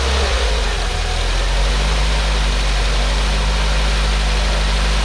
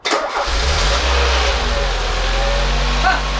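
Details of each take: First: Peugeot 205 1.6 GTI at its first proper start after repairs: a steady, even low idle with a smooth, unbroken beat and no knocks, ticks or rattles. Sounds healthy but cuts out after a few seconds; owner suspects a fuel blockage. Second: Peugeot 205 1.6 GTI finally starting: it catches straight away and runs a relatively healthy, steady low idle, then cuts out after a few seconds for an unknown reason. Engine starts then stalls.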